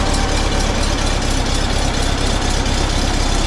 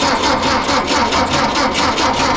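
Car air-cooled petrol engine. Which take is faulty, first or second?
second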